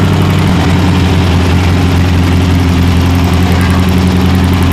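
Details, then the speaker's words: Rebuilt 40hp air-cooled VW flat-four in rat rod truck (rebuilt carb, welded exhaust), idling during break-in after clearing gas-tank debris that blocked fuel: smooth, even low idle, no ticking or rattles; normal healthy idle. "you're doing good all right we'll uh let idle for a minute and we'll shut it off sounds good"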